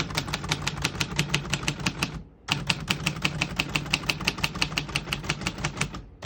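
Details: 1948 Royal Quiet De Luxe portable manual typewriter typing: crisp keystrokes five or six a second, short pause, another even run; mechanism working cleanly.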